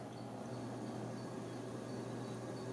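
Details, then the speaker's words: Custom FreeNAS NAS build with a WD Black 1 TB and WD Red 4 TB, at first power-on. A low, steady hum with a faint even whir and no clicks or grinding; the hard drives are spinning normally and are the main noise, while the fans are inaudible. "You can hear the hard drives. They're quite loud. That's where all of the sound is coming from."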